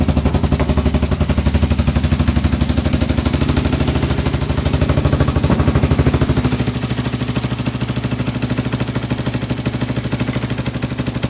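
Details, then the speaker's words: Cheap Honda 400EX quad on borrowed battery: loud single-cylinder thumping about three beats a second with sharp irregular exhaust cracks; backfiring began after a part near the seat was bumped, cause unconfirmed; backfiring at idle. "I bumped this and I don't know it's really what it is and then it started backfiring after that"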